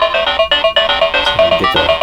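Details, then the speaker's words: Atari Lynx model 2 after full capacitor replacement, max volume: loud clean chiptune, no distortion; earlier distortion traced to two tall capacitors pressing speaker housing; recap fixed low, distorted sound. "max volume it sounds much better so yeah I guess the capacitors did do the trick"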